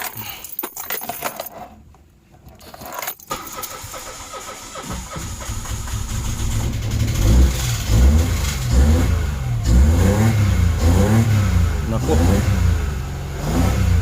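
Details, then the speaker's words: Mitsubishi Mirage with sudden hard starting: several seconds of cranking after new spark plugs fitted, then catches into steady idle with a few revs; failed spark plugs caused the no-start, earlier smoky running. "Sa madaling sabi, ang nangyayari lang diyan napundi yung spark plug kaya hindi siya matuloy."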